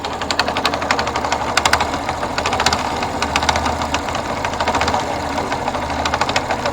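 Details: Yamaha FZS V2 engine running with rapid sharp ticking knocks over a steady hum at a fast, fairly even rate; engine knocking, cause not yet found.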